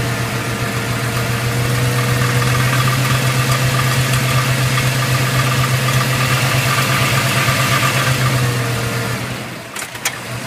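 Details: New crate engine with about 2,000 miles: rough idle with a steady, deep knock about four times a second that carries through the revs. The owner suspects rod knock, which is unconfirmed.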